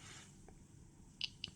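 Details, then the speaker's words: Atom-scan scintillation-crystal dosimeter with per-quantum click sound enabled: quiet room with three sharp, high ticks at irregular gaps, one per detected gamma quantum. Normal. "можна включити озвучування кожного влетівшого в Кристал гамаканта щелчками або пісками динамік в дозиметрі буде це робити от вмикаємо щелчки"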